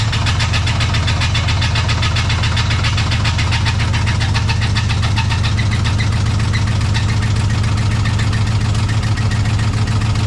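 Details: Chevrolet Silverado 4x4 at idle after a transmission install: rhythmic knock about twice a second tied to engine rotation. Torque converter bolts were not torqued properly, letting the flexplate visibly wobble; flexplate knock.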